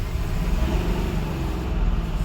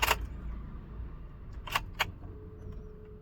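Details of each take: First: Mahindra Bolero Neo diesel after the mismatched rail pressure sensor was replaced with the correct part number. Revved with a deep, steady drone and no knocking, and no fault codes: normal revving. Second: Mahindra Bolero Neo diesel with knocking, misfire, heavy vibration, check engine light: key click, pump hum, then long cranking about two seconds before it fires roughly; hard starting from incorrect rail pressure sensor.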